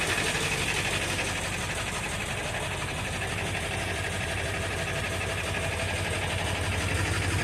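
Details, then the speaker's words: 1999 Ford F350 7.3 L turbo diesel, 217,000 miles, cold start on a summer day: uneven, lumpy idle with a loose clatter about four beats a second and exhaust smoke; oil burner, improves as it warms but never disappears; cause unconfirmed. "I know it's terrible he it does improve as the vehicle warms up but never disappears"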